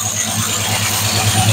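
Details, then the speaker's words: Classic Dodge Charger at idle: steady running with a quick, even tapping that keeps pace with engine speed, a massive exhaust valve issue. "the uh tree is jumping up and down because I have a massive issue on the exhaust valve"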